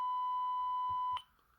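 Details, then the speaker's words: Zenith 500D transistor radio speaker fed a signal-generator tone from the oscilloscope: clean steady high-pitched tone with no buzz or rattle, then cuts off; speaker is good. "I've hooked it up to the speaker just to verify that the speaker is good even although I it clicked I just want to hear if it um works well with a a tone if it sounds good"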